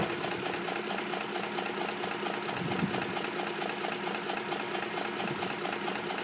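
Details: 2005 Ford F150 SuperCrew 4x4 5.4 V8 at 126k miles, idling: fast light ticking about two per second from the top of the engine, persisting after all cams were replaced at 88k; owner suspects cam phasers, unconfirmed; burns a quart of oil per 4k.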